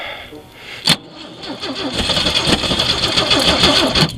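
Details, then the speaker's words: Jeep with electronic ignition and an old reconditioned carburetor, cranked in snow, distributor cap cleaned: catches but stumbles with loose, irregular firing as if on one cylinder; owner suspects the carburetor, new one ordered. Rough running, misfire. "can kind of hear what it's doing it's almost act like it's trying to run on one cylinder which is weird"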